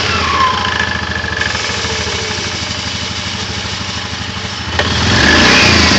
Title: Стук вариатора